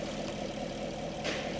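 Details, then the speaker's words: Chevrolet Camaro SS 6.2 V8 with a replacement used engine of about 30,000 km, fitted after the original overheated from a coolant leak: steady, even idle with a smooth low rumble and no knocks or ticks. The replacement engine sounds healthy. "bạn thấy thế nào? Nghe có vẻ hay phải không?"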